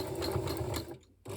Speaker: you hear that buzzing? It's kind of just stuck and refusing. So all the noises you're hearing here are the sounds of a very unhappy machine struggling with thick fabric.